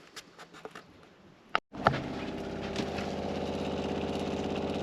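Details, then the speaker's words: Caravan water pump after mounting secured with rubber washers to cut vibration: click then steady low buzzing hum with fine even pulse, no rattle; noise reduced from about 57 to 48 dB; normal running. "so obviously you can still hear the pump cuz you're going to there's no way around that"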